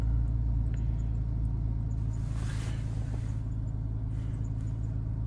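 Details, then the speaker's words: 2012 Dodge Grand Caravan 3.6L with an intermittent no-start, after cleaning the wireless ignition module (WIN module) with electrical contact cleaner: fires up and settles into a smooth, even, healthy idle, better than before. "fires up smoothly actually a lot better than they did before"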